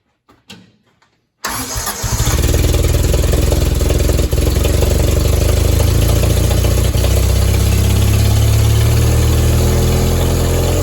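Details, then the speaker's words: Willys CJ3B with freshly installed replacement F-head engine, oil leak just fixed: fires after short crank into steady but strained idle about three beats a second, kept running only by hand choking; carburetor bowl nearly empty of fuel, fuel starvation. "I was only able to keep the engine running by hand choking it usually that means there's something up in the carburetor and so I went ahead and pulled the top off and the bowl has almost no gas in it"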